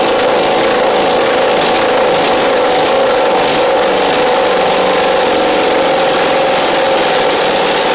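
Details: Husqvarna Z4822 zero-turn mower V-twin: steady mid-pitched idle with slightly uneven beat, no stalling, runs without choke. Right side seems not firing; owner suspects a right-side carb issue needing jet cleaning.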